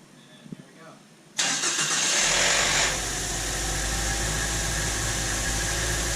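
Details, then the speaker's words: 2007 Mazda 3 after replacing a bad starter: engine catches at once and settles into a smooth, steady idle; normal start. "all right starting up perfect"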